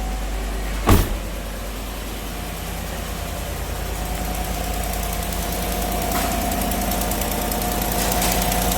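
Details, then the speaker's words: 2018 Chevy Silverado 5.3 V8 idling after the ripped part was reseated, which fixed the misfire; faint loose puffing tick over a steady rumble from an exhaust manifold leak at a broken manifold bolt. "I hear a little exhaust leak over here. And yeah, it's got a broken exhaust manifold bolt."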